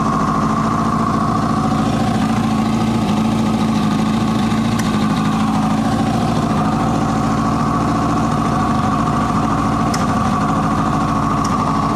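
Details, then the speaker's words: 1980 Kawasaki KZ750 first fire-up on leftover gas, with likely vacuum leaks, loose intake boots and a popped vacuum fitting: uneven idle sags and stumbles with faint coughs. It is lean and fuel-starved because the gas can't be left on. "So, she's coughing back a little bit. She's not getting enough fuel cuz I can't leave the gas on."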